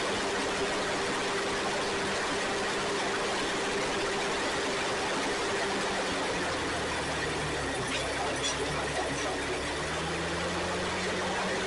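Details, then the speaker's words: Ford 2N tractor (serial believed 1946), sat outside without tires until two weeks earlier, now running: faint, even engine beat behind heavy hiss, with no knocking or missing. Normal running. "and there we have it it's running pretty cool uh concerned what two weeks ago sitting outside with no tires on it"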